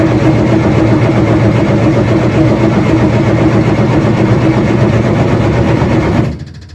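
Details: Freshly rebuilt Nissan Micra stock car engine cranked with fresh oil before plugging in, to build oil pressure: about six seconds of steady even cranking with no firing, then stops; healthy cranking.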